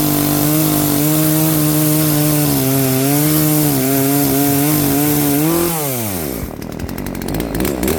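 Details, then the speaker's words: Poulan P3416 34cc chainsaw with new Hipa carburetor after carb adjustment: crisp steady two-stroke note holding through the cut, revving down cleanly; starts, idles, cuts without dying, fixed. "seems to be well, it seems to be running now properly. It's cutting. It's not turning off. It's starting. It's idling."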